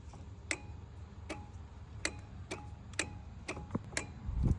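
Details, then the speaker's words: Husqvarna Z4219 residential zero-turn mower with Briggs & Stratton 20 hp engine, battery 12.62 V, seat switch already jumped: key turned, lone sharp clicks about every three-quarters of a second and no cranking; no crank. "we hear things clicking but nothing happens so is it that or is the battery dead"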